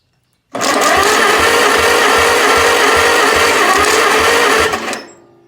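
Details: 1948 Farmall C tractor cranking; steady starter whir with even compression thumps about four a second, turns over freely but never fires.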